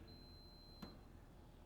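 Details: 1948 Chevy Business Coupe wiring check, meter grounded on the disconnected low and high beam headlight wires: steady high-pitched tone for about a second, a short to ground; possibly because the right-hand wire or headlight is still connected.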